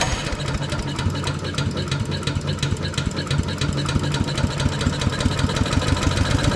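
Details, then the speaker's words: Agri-Fab Mow & Vac leaf vacuum Briggs & Stratton single-cylinder, sat a year, rusted fuel tank; restarted after flooding, valves adjusted for more compression: fast fairly even putter, no knock or misfire; doesn't sound too bad, owner thinks valve adjustment may have fixed it. "it actually doesn't sound too bad maybe I will try to get this thing going we might have fixed it by adjusting those valves like that"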